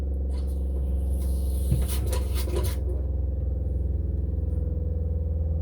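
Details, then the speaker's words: RV water pump after a leak repair with 1/2" PEX cut-and-crimp fittings: low, steady buzzing hum with a fast even pulse as the pump pressurizes, then it stops. It cycles on and off normally, no leak, fixed. "Pressurizing. There you go. No more leaks. That's what you want to hear. You want to hear the pump stopping."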